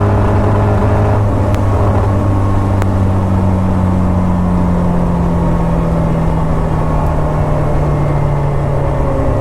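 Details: Engine running with uneven, stumbling note and lumpy hum wavering as revs rise; misfire, owner suspects a coolant temperature issue, not confirmed.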